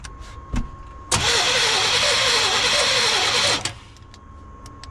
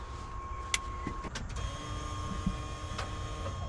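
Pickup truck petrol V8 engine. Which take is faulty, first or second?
first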